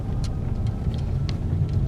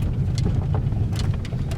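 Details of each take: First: Peugeot 3008 THP on a test drive after the suspension repair: steady low road rumble with no clunks or knocks. The earlier suspension noise is gone. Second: Peugeot 3008 with THP engine on a test drive: irregular knocks and clacks over heavy road rumble from the front. Diagnosed as a worn strut top mount, to be replaced.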